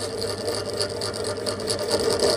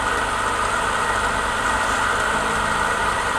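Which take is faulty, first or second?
first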